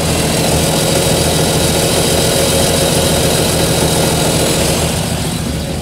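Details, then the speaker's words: 1993–98 Jeep Cherokee after repair of a noise at the toothed ring gear: a steady, even idle with a smooth low beat and no ticking or knocking. Normal idle. "como pueden escuchar hace su ritmo normal del motor después de hacer el trato"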